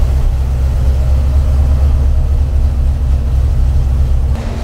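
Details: Freshly built Mopar 383 V8 for a '68 Dodge D200 on the dyno, timing at 34 degrees, before a rev to 5,000 RPM: deep, steady rumble with even, smooth beat, no knocks or ticks; running healthy.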